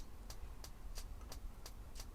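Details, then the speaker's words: Gas mode of a three-way fridge over 30 years old in a classic motorhome: the spark igniter is switched on and the flame lights. Sharp dry ticks about three per second over a low hum; normal spark ignition. "so I'm just gonna turn that on start sparking you can see it lights when it's quicken"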